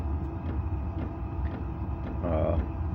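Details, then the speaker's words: Tunable all-in-one diesel heater, a backup unit with an added fuel filter, running on low and holding two red bars: steady low combustion roar with a soft even pulse, no popping or surging; normal clean burn. "The machine's doing nice. It makes a lot of heat, so it's staying in the low."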